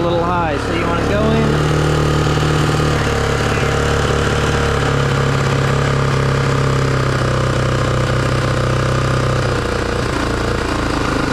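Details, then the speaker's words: 1987 Honda XR250R dirt bike after sitting over winter, idle adjusted down from slightly high: engine settles into a steady, even low idle with no hunting or misses. "that's a better idle"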